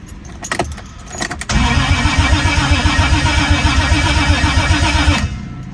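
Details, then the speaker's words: Toyota 1JZ engine, first healthy crank after about ten years; fuel pump now priming and injectors pulsing. Strong, even cranking about four beats per second for nearly four seconds, no dropouts, but no start; fuel leak found afterward. "Haven't heard it crank that healthily yet, so that's good news. Super good news, actually."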